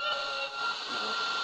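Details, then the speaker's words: A Panasonic radio cassette on FM with its aerial raised picks up a steady high whistle over the broadcast; the occasional howl is interference from a nearby computer monitor. "that howling you can hear occasionally is my computer television monitor. It interferes with it."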